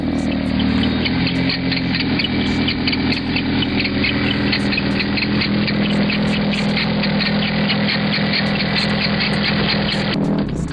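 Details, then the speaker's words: BMW E30 at idle just after start-up, a warbling "wild turkey" squawk with rapid chirps from one loose accessory belt slipping on its pulley, before the belts were tightened and replaced. "I'll start the car up here in a minute so you can hear it and you can hear how the Bel sounds like a wild turkey and it's really bad actually crack me up"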